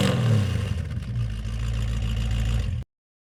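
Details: 1937 Chevy with an aftermarket carb replacing the factory one, about 5200 lb: deep, even rumble revving briefly then cutting off, no knocks or ticks. Normal running.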